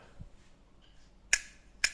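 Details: Used Japanese-made Daiwa Spin Matic-700 spinning reel with 2 bearings: two crisp, sharp snaps about half a second apart as the bail flips over cleanly on a strong spring; normal bail operation.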